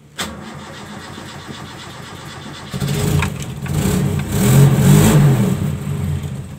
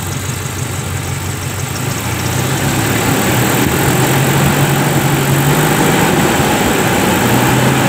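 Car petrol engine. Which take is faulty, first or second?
first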